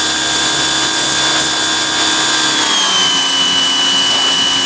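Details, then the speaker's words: Greenworks 2100 PSI electric pressure washer, new, first use while spraying: steady high motor hum with faint spray hiss, no surging or rattles; pump running smoothly, quieter than a gas engine. "And I like how the motor shuts off when you're not using it. And it's much quieter than a gas engine."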